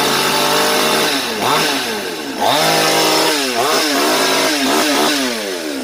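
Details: New Svena 5200 chainsaw that would not start, after carburettor cleaning and high-speed screw adjustment: revs climb cleanly and settle evenly with no stumble; mixture sounds right, runs healthy.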